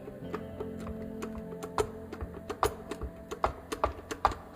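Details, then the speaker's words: Kugoo G1 electric scooter, rear suspension rocked by hand: loose, irregular clacking from worn bushings and axles, suspension play; front suspension equally loose, before fitting new bronze bushings and axles. "большая проблема это люфт подвески вот так это все выглядит"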